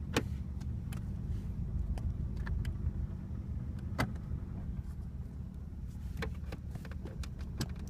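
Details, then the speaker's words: 1985 Oldsmobile Delta 88 with 307ci V8, bad EGR gasket, stalling, possible dead cylinder; idling on its own very rough with low uneven rumble, irregular thumps and rattles, audible vacuum leak, exhaust also needs work. "enough it's idling on its own it's very rough we actually hear that vacuum leak"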